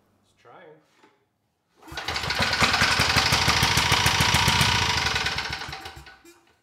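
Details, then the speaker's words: Briggs & Stratton Vanguard commercial-grade engine for generator swap, on first start: loud hard evenly spaced knocking about 214 per minute; first assumed a bad connecting rod, but counterbalancer was one tooth out of time, its weight striking the crankshaft weight. "so my assumption was it had a bad connecting rod and what I found instead was that the counter balancer was out of time by one tooth and because of that the weight on the counterbalancer was making contact with the weight on the crankshaft and that's all that noise was"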